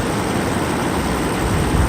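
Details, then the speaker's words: Mercedes S600 coupe V12 at a smooth, even idle after belt, idler and fan clutch replacement; a low hum under loud fan rush, with the fans now spinning strongly from the fan clutch. Normal idle. "really nice perfect engine runs perfect like it's just smooth and there is so much of the flow from the fan clutch now"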